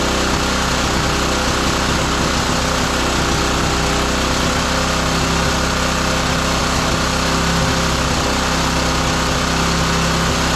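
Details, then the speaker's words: Roadside-salvaged small lawn mower engine for the Tommy Gun mini bike, just after a spark plug swap; it runs loud and uneven with a ragged beat and no smooth idle. The carburetor mixture screw is found turned fully in. "What is the adjustment screw? Why is it turned all the way in? See if we can get a little bit more out of it."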